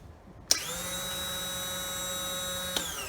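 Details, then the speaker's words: 2013 Triumph T100 Bonneville, almost 18,000 miles: starter whine spins up and holds about two seconds with no cranking thumps, starter freewheeling; near 12.7 V at the solenoid and solenoid tested good, owner suspects fault between starter and crankshaft, unconfirmed. "so it is i hope you were able to hear this looks like the starter motor is spinning but it's not cranking the engine"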